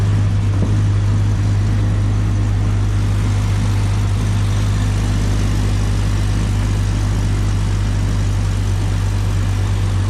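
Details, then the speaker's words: 1998 Jeep Cherokee XJ idling just after a repeat exhaust leak repair with a new header and Felpro gasket. Smooth, steady low idle with an even exhaust note and no ticking or puffing from the manifold. Smoke is preservative burning off the new header, and the exhaust noise under the hood is gone. "That's just all the preservative burning off of that new header. But all the exhaust noise is gone under the hood."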